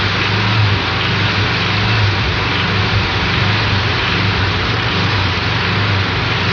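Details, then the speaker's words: Air-cooled Volkswagen engine accelerating until loaded, with a deep rod knock that flutters in and out under load. "Notice how the rod knock noise flutters in and out as you're accelerating loaded. I mean, accelerating the engine until it's loaded. It's a very easy sound to determine if you know exactly what you're listening for."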